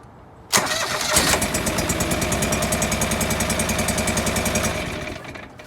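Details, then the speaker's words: John Deere 445 twin, new governor gear fitted, coil pack test with one plug unplugged; cranks, catches and settles into an even beat of about three to four pulses a second, no skips; runs normally on that single cylinder, not missing. "so as you can see they're just running on that cylinder it still runs pretty good it's not you can tell it's not missing on that cylinder"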